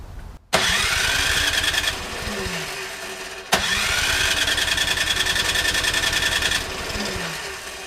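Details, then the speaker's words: Troy-Bilt Storm 2410 snowblower with Powermore engine, after a carburetor clean for stale summer gas, choke on: two pull starts, each catches, runs rough a second or two then dies, spraying gas; flooding from an issue missed during the carb clean. "it's flooding okay after I was messing around with it and it wouldn't start and it was flooding and spring gas everywhere it dawned on me what the problem was"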